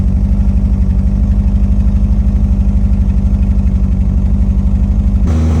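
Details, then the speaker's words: 1987 Honda Accord carbureted engine, after struggling to get it running and turning the idle up: steady, even low putter at a quick idle with no misses or knocks; sounds like a normal car. "I turned it up. It's running really well. That sounds like a normal car! It does!"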